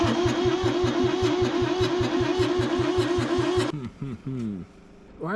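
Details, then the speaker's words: Kubota B6100 three-cylinder diesel tractor, non-runner from estate auction, cranking on a new battery after glow plugs heated 30 seconds and injectors bled: steady starter cranking about 2.5 beats a second, no firing; air puffs back out the intake and a hiss follows each stop, like pressure building and releasing. "When I stop cranking, I hear like a hiss like something's building up pressure and then releasing it."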